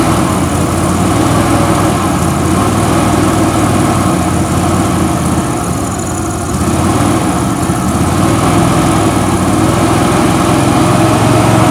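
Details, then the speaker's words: Billy Goat quiet blower with a Vanguard engine, sat for years, running on starting fluid sprayed into the carburetor: steady, even speed with no misfire or knock. The engine sounds healthy. "motor sounds great sounds good"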